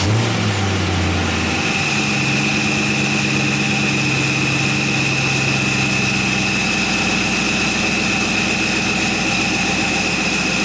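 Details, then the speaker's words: 1977 Camaro Z28 first-ever start, 45 psi, about 130 degrees: steady even idle with faint constant high note; earlier high-pitched whine went away, owner hopes it wasn't top end lacking oil. "all right yeah that pitch went away hopefully that wasn't the top end being out of oil"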